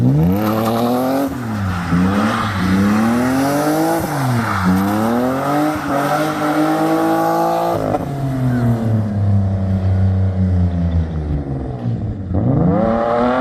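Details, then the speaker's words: BMW E36 M52 straight-six with M54B30 inlet cam, after replacing the crank sensor, cleaning the idle control valve and fixing air leaks: smooth pulls up and drops back through repeated blips with no misfire or stumble. Normal revving. "we had quite a few um running issues in the beginning uh had to change crank sensor cleaning the outer control about a few air leaks but um running nicely now and it revs well with the m54 cam"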